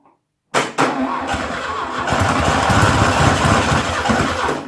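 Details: 1972 VW Beetle 1200 engine, about 48 years old and laid up for decades, test-run on a tyre: the starter cranks, then the engine catches on a drop of primed fuel and runs rough and uneven for a few seconds; spark confirmed.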